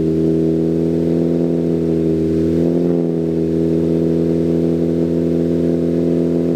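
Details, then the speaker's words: Ford Focus ST freshly built swapped engine on break-in with Comp Cams non-synthetic break-in oil, held at about 2,500 rpm so rings seat; smooth even steady fast-idle note, no knocks or ticks; healthy. "If you can hear me, but this car sounds amazing. But what we're doing right now is we're doing the break-in process. So I'm doing my best to hold the engine RPM at 2,500 RPM."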